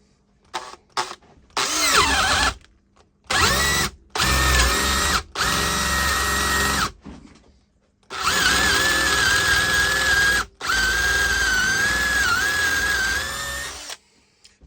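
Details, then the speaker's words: Makita DDA351 LXT cordless angle drill, 2016 and 2021 units of the same model compared with the same dull bit in wood. The motor whines, strains lower, then stops in repeated short bursts: normal overload cut-out protecting itself. "now it's doing exactly the same it cuts out to protect itself and if this was sharper I don't think it would have done it"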